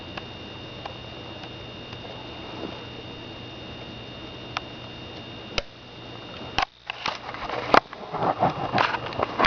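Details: Sony VX1000 camcorder: a faint high whine and soft chattering that is gone in manual focus and returns when autofocus is switched on; autofocus motor noise.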